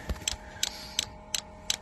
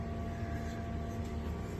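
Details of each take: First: Diesel heater installed in a skoolie bus: sharp, evenly spaced clicks from the fuel dosing pump over a faint hum as it runs dry; pickup not reaching fuel in the tank, so no fuel drawn yet. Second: Diesel heater newly installed in a skoolie bus, just fired up after bleeding air from the system: steady low hum from the blower and combustion with no sputter or surging, warmth coming out. Normal running.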